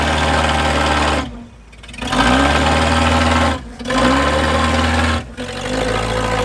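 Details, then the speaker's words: 1953 Packard straight-eight, a poor example from the Straight 8 Showdown, brought back to run and pulled out of deep tire holes: smooth, even idle, picks up cleanly on throttle blips and settles without a miss; runs great, normal idle. "wow wow does that ever run nice hey pulled itself out buddy it was deep in a hole there dude it was yeah yeah still runs great what an old girl"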